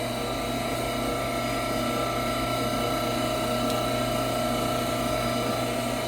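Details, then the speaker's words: Frymaster oil-conserving fryer with two 30-pound pots, timed quick filter of about 4 minutes: filter pan pump returning drained oil to the fry pot, steady even electric hum, no knocks or surges; normal pump operation. "The filter pan has a pump in it, which you can hear engaged and running now. So the filter pan is going to pump the oil back into the fry pot."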